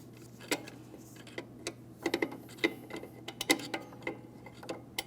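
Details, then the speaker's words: 2003–2008 Toyota Matrix rear drum brake with new shoes and drum fitted, adjusting through the inboard side while turning drum: light irregular metallic ticks as adjuster lever ratchets over star wheel; normal, drum spins freely with slight drag. "You hear that clicking noise? That's the sound of our adjustment lever doing its job."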